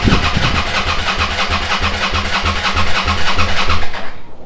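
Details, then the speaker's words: SV motorcycle under restoration, first start after carbs rebuilt and refitted, TPS set, regulator replaced, old fuel swapped for fresh: the starter chugs steadily for several seconds without catching because the float bowls were empty. "va déjà falloir un petit peu de temps pour que les carbus se remplissent he les cuves étaient vides"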